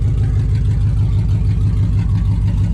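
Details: 2003 Dodge Ram 1500, 4.7 Magnum V8 with 255,000 km, at idle after start-up: very loud, deep, pulsing rumble with no muffling; exhaust shot, rusted-out pipes leaking.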